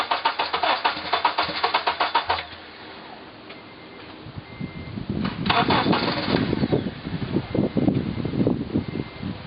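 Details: 2003 Honda Element EX AWD with spark confirmed in all 4 cylinders, cranking after starter fluid was sprayed into the intake manifold: starter churns in quick even pulses, pauses, cranks again unevenly, and never fires. Crank, no start.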